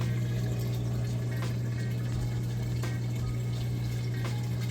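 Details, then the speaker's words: Samsung VRT front-load washer moving from the wash cycle into rinse, heard from the back. Steady low hum with water rushing through it, even and unbroken: the drain pump empties the tub quickly and normally. "okay we're moving out of the wash cycle into the rinse cycle and it's draining that water out nice and fast you can hear it draining there in the back"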